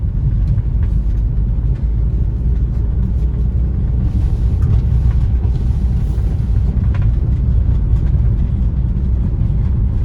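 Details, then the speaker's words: Maruti Swift driving after front shock absorber replacement: only steady low road rumble, no clunks, creaks or rubbing over bumps. The earlier noise was a mount-top cover rubbing, not a bearing, and is now fixed; the suspension is quiet. "നമ്മൾ ആ ഷോക്കിൻ്റെ sound correct ചെയ്തിട്ടുണ്ട് കേട്ടോ. അത് മൗണ്ടിൻ്റെ മേലെ വരുന്ന ഒരു കവറുണ്ട്, ബോനറ്റ് ഇടുന്നത്, അതിൽ വരുന്ന സൗണ്ടായിരുന്നു. അത് കിടന്ന് വരയുന്ന സൗണ്ടായിരുന്നു, വേറെ ബെയറിങ്ങിൻ്റെ അല്ല."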